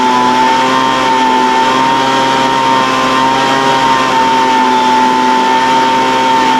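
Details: Older Craftsman 200mph blower, sat unknown time, restarted after the high-speed mixture was opened slightly: held at full throttle, high steady whine wandering slightly before settling. Mixture hunting but near even; carburetor acting funny after sitting.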